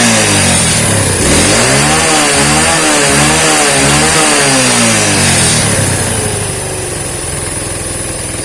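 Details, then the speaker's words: Yamaha Vega/Crypton motorcycle after fitting a DC Shogun 110 CDI with trimmed pickup lobe and re-gapped spark plug: revs rise and fall cleanly, then settle into even steady idle, no misses or knocks; lighter revving, idle set high, healthy running. "ini sudah enak banget ini putarannya lebih ringan dan stasionernya lebih keras"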